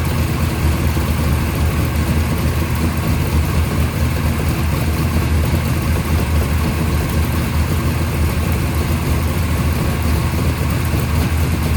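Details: First startup of a freshly rebuilt 580 Mopar stroker on a run stand with headers and mufflers, timing at 33°, about 1,400 rpm fast idle, 65 psi oil pressure; deep, even, muffled rumble with no misses or hunting, a healthy fast idle.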